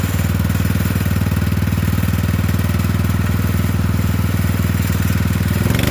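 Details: Poulan 12538 riding mower, 12.5 hp single, after fitting a new carburetor because the old one leaked fuel into the crankcase, earlier popping noise: steady, even thump about four beats a second, no misses or surging; normal idle, brake on.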